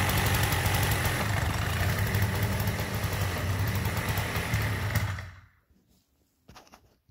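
Small two-stroke buzzes along at a steady, even idle for about five seconds, then shuts off cleanly; sounds healthy.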